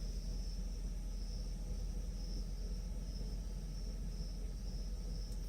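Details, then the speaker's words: 1994 Mercedes S420 V8, recorded inside the cabin late at night after misfire repair: low, even rumble with no surging or stumble, steady at factory idle speed; four spark plugs are still old. "Exactly the same idle speed that's supposed to be from the factory."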